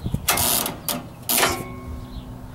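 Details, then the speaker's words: Home AC circuit breaker switched on: harsh crackling arcing bursts inside the breaker; cause later found to be the compressor shorted to ground, compressor replaced. "right now you should hear the arcing inside the circuit breaker"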